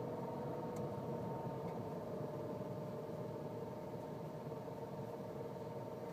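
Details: Nissan Cube registered December 2005, at 7 years 8 months and 51,000 km: a steady mid-pitched whine over a soft running hum, a sudden noise from the CVT.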